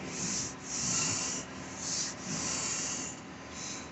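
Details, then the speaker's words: $400 Dodge Charger SXT, runs well, needs tires, front end bushings and struts: slow dry rubbing creaks swell and fade as the steering wheel turns; owner attributes creak to dry front struts, unconfirmed. "that's those front struts. They're nice and dry."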